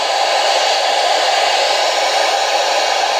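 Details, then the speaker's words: Midland WR-100 weather radio that had no sound, after its crystal filter was replaced, powered by adapter before final assembly and with no antenna: steady, even static with no hum or crackle. The receiver is working. "Before I put everything back together again, I'm going to just turn it over and plug in the power adapter just to make sure things are working before we do the final assembly. There we go, now we have static."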